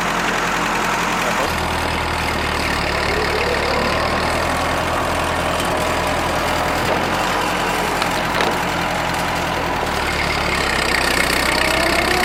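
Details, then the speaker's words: Rebuilt Ford tractor pulling in high gear on the driveway: even drone under load, no misses, knocks or rattles; burns clean after the rebuild, running strong. "definitely happy with the uh the performance i said you can see uh she burns clean"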